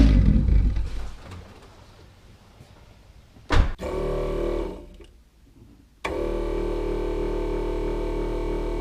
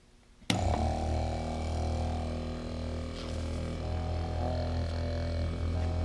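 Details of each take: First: Electric turbo oil scavenge pump at front of car wired direct to battery, engine idling; constant droning whir of steady pitch over the idle, annoying despite silencing efforts. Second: Replacement TurboWerx Spartan quiet turbo oil scavenge pump (12 V, max 3.5 A) on a bench test: switches on with a clean, steady low hum, no rattle or grind; significantly quieter than the old pump.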